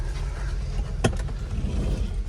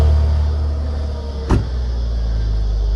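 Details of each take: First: 2002 Audi A4 2.4L V6, sat since March, just jump-started, idling: low, uneven, lumpy wavering rumble with one sharp knock; rough idle, owner suspects timing issue or low battery voltage, unconfirmed. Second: 2002 Audi A4 V6 on its stock exhaust, last cold start before a resonator delete. Deep, even exhaust rumble settling into a steady idle with a few brief clicks and no knock or misfire; normal cold start idle.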